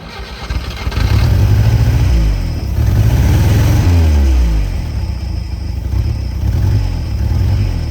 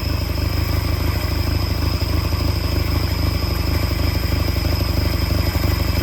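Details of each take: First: Peugeot 403 pickup engine. It catches and settles into a steady low idle with a few revs, running evenly with no obvious knocks, so it is running normally again. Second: Peugeot 403 pickup engine first started after over 20 years abandoned, throttle butterfly freed: low, lumpy idle with uneven beat about three per second; one cylinder seems weak, cause suspected, not confirmed.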